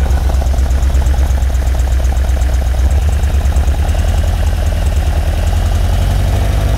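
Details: 1978 Ferrari 308 GTB V8, smog pump deleted, at idle: lumpy, uneven idle with low exhaust pulse stumbling and skipping; misfire, running on six or seven cylinders, ignition verified good with strong timed spark, smooths out when gas is sprayed.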